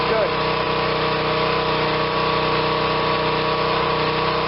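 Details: Generac 2500 psi pressure washer, small single-cylinder engine, bought not running, choke on, oil slightly overfilled with possible water in it: steady speed and constant hum, no surging or misfire; running as it should.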